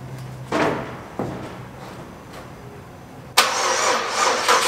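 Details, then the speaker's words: 2004 Pontiac Grand Am GT that sat five years at auction cranks and fires only in short rough bursts on sprayed carb cleaner; injectors suspected stuck closed from sitting, not confirmed. "so we're gonna have to run it off carb cleaner foreign [Music] a can down there crank it runs long enough that I can run out here and keep it going"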